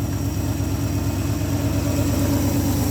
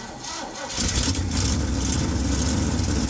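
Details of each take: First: Old Ford F100 V8, ignition module fine, just fired up: steady even low rumble around two beats per second, no misses or knocks; normal idle. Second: Old Ford F100 V8 that sat long, mice-chewed dash wiring suspected, crank attempt: starter cranks, engine catches and runs ragged for about four seconds then dies; ignition fault.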